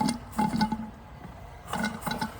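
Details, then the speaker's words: Bing 10/110 poppet-valve model steam engine during restoration, warming up; wet bubbling and spitting in uneven bursts as condensation clears through the chimney before the engine will run. "Once that condensation's gone, this will run. See the condensation coming through."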